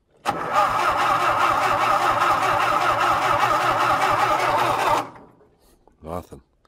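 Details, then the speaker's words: John Deere tractor in a winter cold start with the battery in and fuel primed; fuel is dumping out of the carb and the owner suspects the fuel filter. About five seconds of steady cranking with no firing; crank, no start. "nothing who it's just dumping the fuel out of the"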